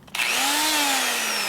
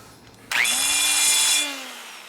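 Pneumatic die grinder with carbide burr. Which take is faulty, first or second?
first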